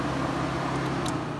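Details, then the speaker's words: 2001 Subaru Outback, engine off: radiator fans run by themselves with a steady whir and faint relay clicks, fans, relays and fuses activating, with flashing check engine light; caused by the diagnostic test-mode connector left connected. "you can see that the fans are turning on by themselves the engine is off and then you can hear"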